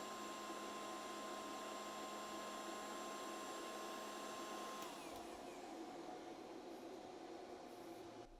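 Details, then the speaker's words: BougeRV 2000W 12V pure sine wave inverter, steady high fan whine that drops away as load comes off after a heat gun test; the inverter fans run normally, cooling the unit. Voltage sagged from 120 to about 114 V under load. "all right so not terrible uh as you can hear the inverter fans are still on it's trying to cool itself back off"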